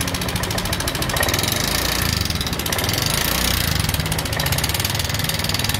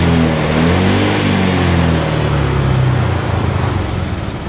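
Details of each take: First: Honda Vario 125 injection scooter idling with a rough, busy clatter riding over the engine beat; rough engine noise from a worn rocker arm bearing. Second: Honda Vario 125 injection scooter after fixing a rough-sounding engine by replacing the valve rocker arm: engine revs up and settles smoothly, no rough clatter over the exhaust note; normal running after repair.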